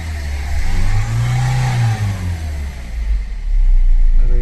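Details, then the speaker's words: 2015 Ford EcoSport diesel (stated as 1.4 and 1.5 L turbo) with malfunction light blinking and a pickup problem: revs surge and sag, hunting unevenly. Misfire from an open circuit on the cylinder-three injector, confirmed by fault code. "Fault code self rest injector సర్క్యూట్ఏ third injector circuit open problem ఉంది."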